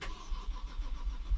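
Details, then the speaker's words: BMW 135i N54 manual after engine rebuild on a driveway, first start: low uneven rumble as it stumbles and chokes briefly, then catches and keeps running, with a power-steering pump warning noise; normal start. "as you can see now it wants to go it's starting it's choking a little bit but then suddenly it starts bringing into life can you hear it"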